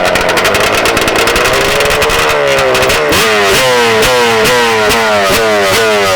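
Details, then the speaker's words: Warm two-stroke Banshee race quad: crisp blips, then a ragged, surging crackle at about quarter throttle, carbs not adjusted since October, P7 needle; lean-running carburetor, jetting too lean. "So, it's snappy, but as soon as you put it about quarter throttle, if you hear it go lean like it's, you know, that's that's your sign of it's it's too It's too lean."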